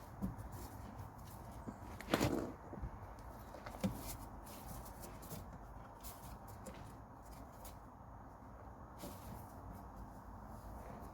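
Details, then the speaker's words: 2015 Ford Mondeo Mk5 offside rear suspension: scattered loose clunks and rattles as the shock absorber is wiggled by hand; top mount suspected failed, letting the shock rattle. "hear that it's a pretty horrible noise that is the shock absorber and all I'm doing there is I'm wiggling the shock absorber in the top mount so I think the top mount has actually failed and letting the shock absorber rattle around"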